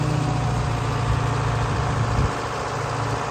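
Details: Wagner W4's Detroit Diesel 4-53 two-stroke gives a deep, even rumble, settling into a steady idle with no misses or knocks after being driven; running clean and healthy.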